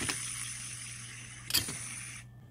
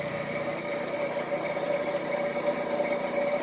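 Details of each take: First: Tree Tool and Die Works Tree milling machine head teardown, clutch assembly top bearing spun by hand: thin dry hiss with gritty, scratchy clicks fading as it stops; worn bearing, as bad as the bottom one, being replaced. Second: Smooth, even whir with a steady mid-pitched tone and no knocking or grinding from a Tree milling machine head spindle after rebuild with new bearings and belts; runout in taper measured about 0.00015–0.0002 in; healthy spindle running true.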